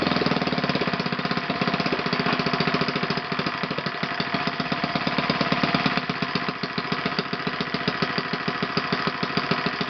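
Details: OS FS 120 PreSurpass four-stroke glow engine, bought used on eBay, test-run on a stand on 16% nitro fuel with a 16x6 prop. Crisp, rapid, even firing at steady high speed with no misses or sag: runs normally.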